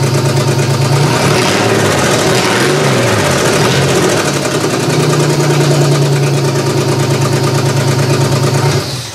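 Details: GM 3100 V6 swapped into a Camry, first start-up with jury-rigged wiring and vacuum leaks: rough, uneven idle stumbling about three times a second like a dead cylinder; owner suspects cylinder two not firing, maybe coil pack.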